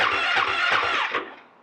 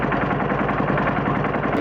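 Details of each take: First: Husqvarna FE 501 in cold weather on its stock, underrated battery, with the cold start button pressed and a five-second start attempt: about four slow, labored starter strokes, then it dies without firing. Slow cranking from a weak battery. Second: Husqvarna FE 501 cold-started on a new SSB lithium battery (240 cold cranking amps), on its first crank: brief starter churn, then the single catches first try and settles into a steady, even thumping idle. Normal cold start and idle.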